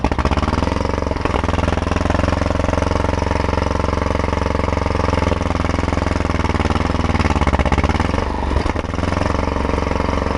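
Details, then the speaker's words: T-170 bulldozer (no cab) diesel started after repair, idling with a deep, steady chug and an even beat; healthy normal idle. "Заводився. Так, начало є."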